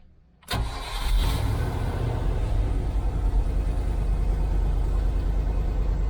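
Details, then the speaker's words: 1989 Range Rover Vogue SE after a throttle position sensor from another car was fitted: starts quickly and settles to a steady, even run with no stumbling; sounds happier and throttle response is instant. "well it already sounds a lot happier already throttle response is instant"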